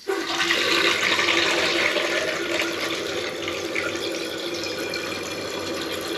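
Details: Toilet flushing and tank refilling with a steady rush of water and no hiss, squeak, whistle or fog-horn sound; a normal refill.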